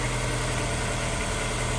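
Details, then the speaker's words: Honda S2000, 200,000 miles, previously rough idle on 3 cylinders, after spark plugs, valve adjustment and injector cleaning: steady, even low idle with smooth rumble, no misses or ticks, before warm-up; normal idle. "there we go this one should run a whole lot better we're going to warm it up look over the fuel trim make sure it's happy but that one sounds so much nicer"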